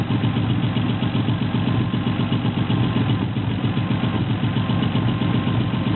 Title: SC300 misfire